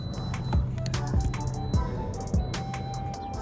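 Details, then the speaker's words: 2008 Toyota Corolla LE, 130,000 miles, idling after code P0303 and a coil swap: deep uneven stumble under background music from a failing ignition coil misfiring one cylinder; engine misfire at idle. "Yep, you can totally hear it misfire. So let's just wait until the check engine light starts blinking. Should be on shortly because it's an evident misfire."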